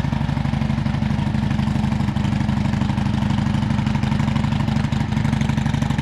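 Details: Harley M8 107 at 10,000 miles, rebuilt to a Fuel Moto 124 big bore after suspected oil sumping, with an S&S 475 cam, Fuel Moto Jackpot 2-into-1-into-2 exhaust and S&S Grand National slip-ons: even V-twin idle lope at about two thumps per second, no ticks; normal idle.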